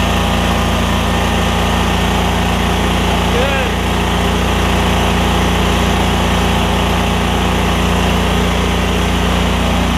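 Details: Lincoln Ranger 8 welder generator, Kohler CH20 V-twin after fuel pump, fuel line replacement and carb clean, air cleaner off: loud steady twin-cylinder drone at constant speed, no misses, knocks or surging; normal running.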